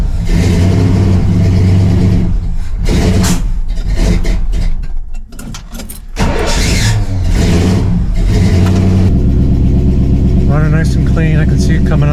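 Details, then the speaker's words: 1968 Pontiac LeMans, cold start after sitting most of the winter, not yet warmed up: runs rough and revs sag, nearly dying unless held with throttle; it won't hold idle on its own. "It still hasn't warmed up yet. If I don't keep if I don't keep my foot on the pedal, it dies out."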